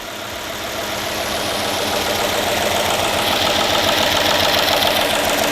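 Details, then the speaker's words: Dodge Magnum Hemi, first cold start after an engine refresh: fast even ticking about three to four per second over the engine, with steam from burning oil. Lifters very rattly until oil pressure builds: hydraulic lifter tick on cold start. "definitely those litter lifters are very very rattly right now we're gonna have to give them a little while"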